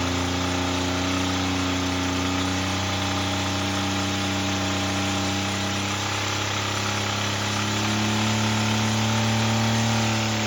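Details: Toyota pickup engine, damaged by water ingestion, held hard at high revs until failure, lasting under two minutes: loud, with a rough, steady hammering underneath as the bottom end fails and the rods let go.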